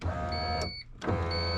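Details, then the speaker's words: Honda Accord rear power window, previously dead because fuses were missing, after fuses installed and glass fitted, key on: even motor whir, pause, whir again; window rolls up and down normally. "since i was able to figure out the fuse i um i got the window in so it finally has a window and it rolls up and down"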